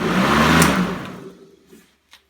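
A small motor whirs up smoothly for under a second, then winds down and stops; it runs fine on this supply.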